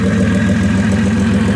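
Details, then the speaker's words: Hyundai Genesis Coupe 3.8, turbocharged on the stock motor (about 7,200 boosted miles, 1,100 at 10 psi), idling, recorded outside at the exhaust: rough, lumpy misfire. Cylinder 2 has low compression and burns oil with blue smoke; the engine blew. "cylinder two decided it wanted to drink some oil yeah that means low compression uh blue smoke misfires as you're about to see in this clip"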